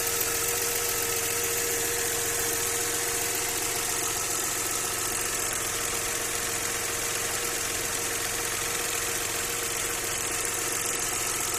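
Steady idle with a fast, fairly regular light knocking riding over it; source unclear, possibly valvetrain or bottom end.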